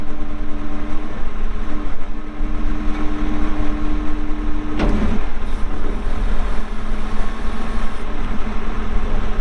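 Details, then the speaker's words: 2014 Kawasaki 65TMV D2 wheel loader, pre-emissions Isuzu diesel, 149 hp, 7,671 hours, running under load during operation: steady, even diesel drone with constant low hum, no knocks or misses; starts and runs good, hydraulics strong. "149 horsepower 7,671 hours starts up good runs good the Hydraulics are strong"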